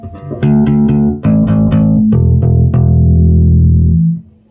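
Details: Ampeg SVT bass amp after burned PCB repair and a new hum balance, chassis shielded with copper. Clean plucked bass notes ring out full and even with no hum, crackle or dropouts; the amp sounds healthy.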